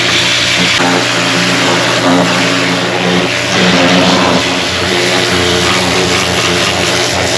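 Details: Mercedes E350 3.5L engine after new spark plugs and ignition coils were fitted: catches and revs smoothly with a clean, even note and no misfire stumble, partly masked by background music; normal running.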